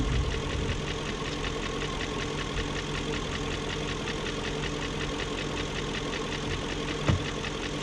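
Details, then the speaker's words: 2001 BMW E38 740i idling after Vanos rebuild, new Vanos distributors and intake cam-end gaskets: fast light ticking persists over low rumble; lifters checked, spark plugs tight, no codes, top-end tick unresolved. "and it's still making that ticking more all the spark plugs are tight it's right here just like before"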